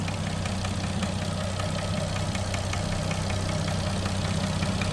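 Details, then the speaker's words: Nissan RB25DET Neo hot idle after a 10 psi run: quick light ticking about four per second, louder than ever, seemingly cylinder 4 or 5, calms after 5 minutes; oil level good, no check engine light, small exhaust manifold gasket leak; lifter suspected. "Just curious what that can be. Cuz it's a lot louder than it's ever been. Sounds like it's coming from one of these cylinders."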